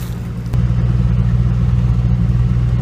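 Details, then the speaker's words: 1985 Dodge Ram D100 225 Slant 6 with gear-reduction starter, cold start after two days sitting at about 25°F overnight and under 40°F: starter catches quickly, then deep smooth even idle, no misses or knocks; normal cold idle. "And just like that, been sitting all day yesterday and all day today. It's not exactly warm."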